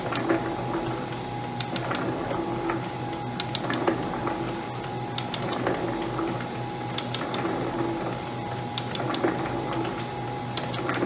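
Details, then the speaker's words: Vintage Lewis metal shaper running, feeding about 4–6 thousandths per cycle: steady strokes about every second and a half with ratchet ticks, but the feed pawl misses now and then and isn't catching. "Oh, no, it's not catching. It's missing every once in a while."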